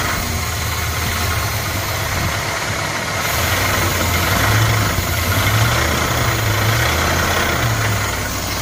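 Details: Dodge 5.2 Magnum V8 idling with a fairly regular knock or tick of about four per second; owner unsure whether it is lifters or rod knock.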